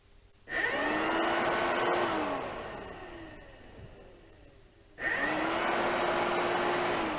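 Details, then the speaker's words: Honda CB-1 (NC27) radiator cooling fan after its contact/bush was cleaned and refitted: the motor starts briskly, holds a steady whir, coasts down, then restarts cleanly. A working, healthy fan. "we go we have a working fan"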